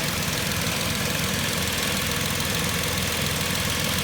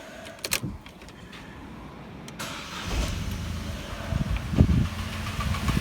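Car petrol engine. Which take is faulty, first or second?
second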